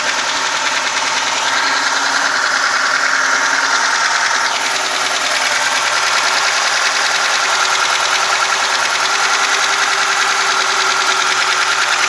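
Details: VAZ 2106 after engine rebuild, idling: light quick ticking about three taps a second over a steady idle; rocker arm tapping from the valve gear.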